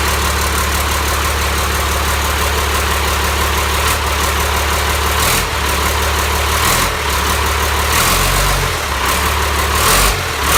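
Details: Cummins 5.9 12-valve diesel on an engine stand, going into a 7350, first start-up: even clatter at idle with a few brief speed dips and recoveries, no misses or knocks; normal diesel idle.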